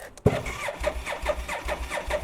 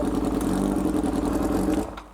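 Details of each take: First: Japanese import motorcycle twin fresh from a shipping container, fuel drained for shipping: starter churns about two and a half beats a second, pauses, cranks again, never catches; crank no start, no fuel. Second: Motorcycle imported from Japan, first start on full choke, apparently missing its exhaust can. Even, steady mid-pitched engine note held smoothly before winding down; normal running.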